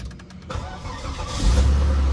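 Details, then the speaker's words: 2002 Volvo S80 2.9 automatic starting: starter turns briefly, engine catches on the first try and settles into a low, steady idle with no hunting; RPM stable, normal start. "sekali starter nyala. Dan untuk RPM stabil sob, nggak naik turun."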